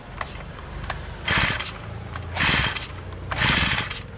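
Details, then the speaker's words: Honda GX35 brushcutter with its carburetor swapped for a 2-stroke carburetor, fuel added and primed for the test. The engine fires in three short bursts and dies each time without settling into a run; a hard start, cause not confirmed. "quer pegar deu sinal que quer pegar galera"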